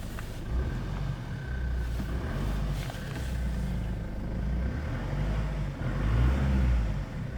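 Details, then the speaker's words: Stock 2006 Jeep Liberty CRD Sport 2.8 diesel, started at 10–15 °C without glow-plug light, recorded inside the cab: steady, consistent idle (stated 1750), even low rumble with no knocks or misses; healthy idle. "It seems to be idling pretty regularly right there at 1750, just consistently."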